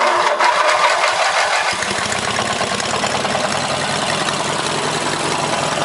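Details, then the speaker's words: 18 hp opposed-twin engine, leaking crank gasket, weak battery, cranks and catches after about two seconds: quick tapping knock under exhaust, seems from rear of block, not worse with rpm; owner suspects rod knock or top-end bearing. "but anyway sounds like rod knocked me which i can probably fix but like i said it means i gotta tear the whole engine apart"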